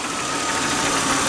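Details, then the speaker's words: 1996 Buick Ciera, running after replacing a leaking oil pressure switch: steady idle with a thin constant high whir like a dry bearing near the front pulleys; harmonic balancer pulley wobbles less than before, cause not confirmed. "noise it sounds a little bit like it's that the harmonic balance pulley is not jumping around near as much as it was earlier but I'm getting a a bearing sound"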